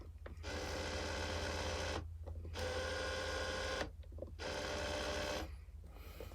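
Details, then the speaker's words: Yitamotor tow mirrors on a 6.0 truck: loud buzzing whir with steady gear whine in roughly 1.5-second bursts as the power mirror motor runs, much noisier than the previous mirrors. "But one other thing that I don't like about these mirrors, besides the little side marker things, is they're very noisy."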